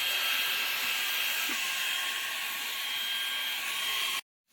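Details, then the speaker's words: Perry Smith vacuum cleaner motor after repair: hair jams cleaned out, bearing adjusted and housing modified to run lighter; steady, even high-pitched whir for about four seconds, then stops. Motor spins freely and sounds healthy. "Ha memang macam jet eh vakum ni. Okey kita dengar bunyi tubuh dia."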